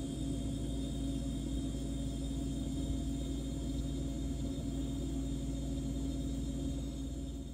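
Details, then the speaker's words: LG French door refrigerator, good linear compressor for comparison: soft steady purr with a constant hum, no knocks, rattles or overload click; running normally. "so here is a good running compressor and how it's supposed to sound"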